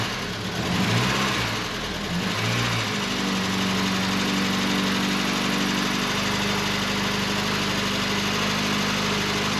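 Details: 1989 Volkswagen Cabriolet just started after sitting over 2 years, new engine wire harness fitted: rough first few seconds, then smooth, even idle with steady note and no knocks; running fine with great oil pressure.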